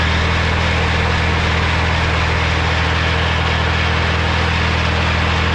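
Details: Morra F25-6 disc mower test-run after a bearing repair, checking that the earlier noise is gone: steady even drone with a low hum and faint regular pulsing, no knocking or grinding; mower running smoothly at speed.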